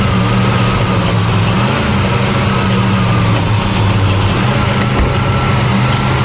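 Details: '75 Plymouth Roadrunner engine, after a carburetor fire and choke adjustment: loud V8 idle that wavers and lumps unevenly, never settling, backfires when throttle touched; rough running from an intake gasket leaking vacuum.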